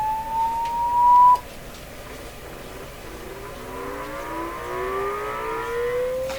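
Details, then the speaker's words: 1929 Victor RE-45 radio, amplifier and speaker checked with a low-frequency sweep tone: rising tone comes through rough and buzzy with raspy overtones; speaker suspected of distorting on bass, amplifier not yet ruled out. "I'm gonna guess that's the speaker doing that"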